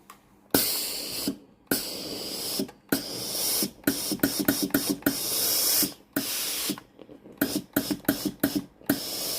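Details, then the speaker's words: Philips GC9622 steam iron after board and fuse replacement for no-steam fault and constantly blinking power light: sharp hissing steam bursts start and stop cleanly with each button press, strong steady steam, working normally. "সামনের আলো জ্বলে উঠবে, আপনি জলের ভালভের শব্দ শুনতে পাবেন, হিটার এবং সোলপ্লেট গরম হবে।"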